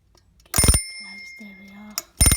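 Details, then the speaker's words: Vintage Yugoslav Eurastyle hand-wound double-bell copper alarm clock, alarm triggered by moving hour hand forward: two bursts of rapid bright bell ringing with a quiet gap; alarm works normally. "so I'm going to demonstrate the alarm now and bring the hour hand on their forward"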